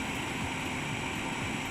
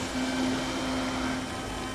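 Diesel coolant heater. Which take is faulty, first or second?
first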